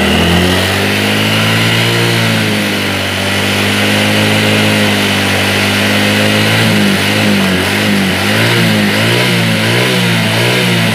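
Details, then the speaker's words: Yamaha Mio J injection scooter after injector work, engine temperature 84-85°C, O2 sensor reading good: small single revs up and down cleanly with each throttle blip, no hesitation or popping; normal revving. "Hei tarikan sudah lumayan enak kita tinggal jalan saja"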